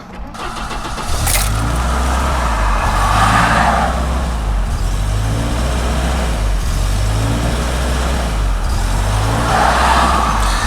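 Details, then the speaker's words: 1991 Volvo 245 daily driver, parked about 15 minutes, off the gas: engine holds a fast raised idle, estimated around 2200 rpm, pitch surging gently every few seconds; high idle traced to a misadjusted throttle position switch. "that car has been parked for about 15 minutes puts off the gas it's a really high idle"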